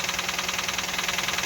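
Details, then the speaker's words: Engine started after cleaning the oil pan with the intake manifold off and some sensors unplugged: sharp, even tapping, about sixteen per second, over a thin idle; top-end knocking right after start-up. "oh you're a little knocking oh no it's gonna go away"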